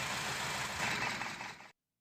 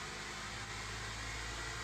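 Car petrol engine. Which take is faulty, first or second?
first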